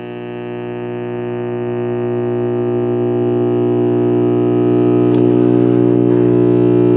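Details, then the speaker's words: General Electric mid-1960s AM/FM vacuum-tube table radio, first power-up through a current-limiting bulb: loud, steady low mains hum that swells as the set warms up, with no program. Bad filter capacitors are suspected but not confirmed. "well no sense in listening to that sounds like we have bad filter capacitors"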